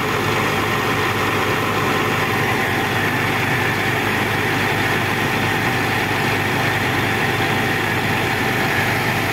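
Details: Old Caterpillar diesel after overheating, radiator topped up with water, overheat light no longer blinking: constant heavy clatter at an even idle, no surging, hunting or odd knocks; normal idle.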